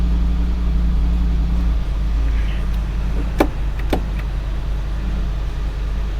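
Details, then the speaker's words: 2007 Chevy Corvette C6 with LS2 400 hp engine and 260,000 miles, started on a jump pack after sitting unrun for a while: steady, low, even idle with no misses or knocks, running very well. "it's actually running very well"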